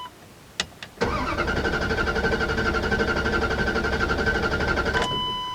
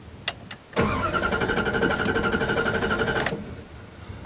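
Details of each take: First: 2001 Dodge Ram 1500 5.2L V8, 137,000 miles, long-sitting, after a gas tank patch, new spark plugs and fogging oil: brief crank, then catches at once and holds a steady, even run, followed by a dash chime; normal start and idle. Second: 2001 Dodge Ram 1500 5.2 V8, 137,000 miles, long-sitting, after gas tank patch, new plugs and fogging oil: starter cranks steadily without firing, fuel gauge not registering; crank no start, out of fuel.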